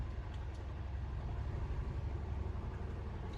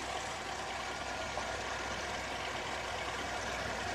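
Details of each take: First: 2003 Oldsmobile Alero 2.2L Ecotec with a cylinder 1 misfire code, after replacing the cylinder 1 plug boot: low, uneven lumpy idle that still shimmies; misfire not fixed by the boot. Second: 2003 Oldsmobile Alero 2.2L Ecotec idling after cylinder 1 misfire repair with new controller, plugs and boots: even, steady idle with smooth hiss, no stumble or skip; running cleanly.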